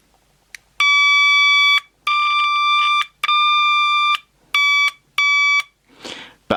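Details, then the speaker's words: SatLink WS6906 satellite finder power switch tested with a continuity tone: the buzzy tone cuts in and out unevenly as the switch is flicked, showing dirty, intermittent contacts. "if you can hear that Hing that means that the contacts are dirty there's not a good H"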